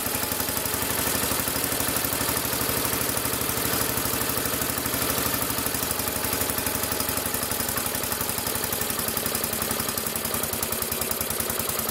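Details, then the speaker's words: 1975 or 1976 Massey Ferguson 14 garden tractor, Kohler K321 single-cylinder, after carburettor repair and rich/lean adjustment: steady putter about three firings a second, clean with no pops or backfires; normal idle, choke and throttle working. "everything seems to function fine choke is working fine throttle works fine"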